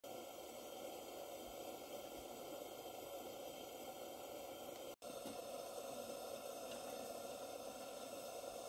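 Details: Barn-find English-made Coleman 237 kerosene pressure lantern on original kerosene, pumped up again: steady, even burner hiss with one brief cut, no sputter or surging; burning normally.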